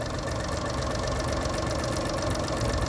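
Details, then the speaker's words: Honda 30hp 4-stroke outboard after carb cleaning and water pump work, idling in forward gear, not overheating, weak tell-tale suspected clogged: steady, even low idle with smooth beat, no knocks or misses; normal idle in forward gear. "All right, that's idling in gear. Nice and quiet, quiet little motor."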